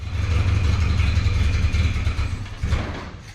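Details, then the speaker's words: Old Model TT not run in years, with fuel poured in: it runs a few seconds on a low rumble, then stumbles and fades as the fuel is used up; the fuel pump isn't drawing fuel and needs work. "Nah, it's not picking up fuel. So, we're going to have to screw up the fuel pump."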